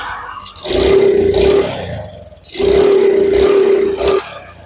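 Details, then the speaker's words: Suzuki Smash that starts easily but won't pull when throttled: two throttle blips where revs rise raggedly and stumble, similar to fuel starvation; the cause was found to be a weak CDI unit giving poor ignition. "Dia nyendat-nyendat ya teman-teman. Penyakitnya mirip-mirip yang tekor bensin."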